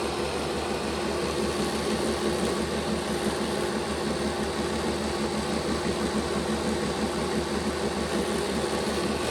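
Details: Bachmann Dash 9 model locomotive running on rollers, rear motor misaligned in its housing with poor contact-strip contact: steady dense grinding growl with no letup, more of a growl than the front motor block; fixed by reseating the motors on the contacts.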